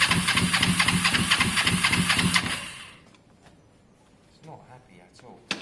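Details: Kawasaki ER5, fresh fuel and fully charged battery, air filter left off, didn't fire previous day: starter spins quick, even churn about 2.5 seconds with no firing, then stops. Crank no start.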